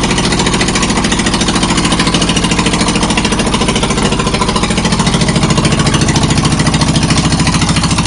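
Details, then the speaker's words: John Deere lawn tractor idling with muffler removed (owner suspected the muffler, not the motor, caused the earlier problem): sharp, even, very loud exhaust popping about three and a half beats a second; loud exhaust, no muffler. "I'd like to have a mudding tractor sounding like that we got hits loud and it's just idle and this is an idle"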